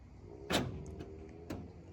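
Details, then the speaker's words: Starline S9 alarm on Citroen Relay van arming: electric deadlocks on cab doors, side load door and barn door throw with two crisp, even solenoid clunks about a second apart; normal deadlock operation. "That's Andy from Vehicle Fits with Starline S9, cab door deadlocks, side load door and barn door, electric locks, and I'll show you how they work again if you listen."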